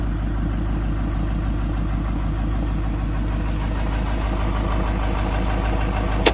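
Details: 2007 Chevy 3500 Silverado, 6.6L LMM Duramax diesel, parked at idle: dull, deep knock about three times a second under the diesel clatter; spun crankshaft bearing.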